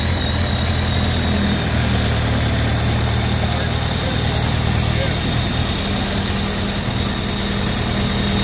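Low, even idle with a steady beat and no knocks, ticks or misses; the flathead is running smoothly and healthy.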